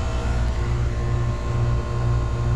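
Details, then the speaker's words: McQuay water-source heat pump cooling after a new contactor, with a clean strainer, at 55/185 psi with good supply temperature. A steady low compressor hum with no rattles or clicks, and the suction line is sweating: normal operation. "doing pretty well just gonna keep an eye on it oh look at that i don't know if you can see it but that suction line is sweating that's how you know we got good temperatures"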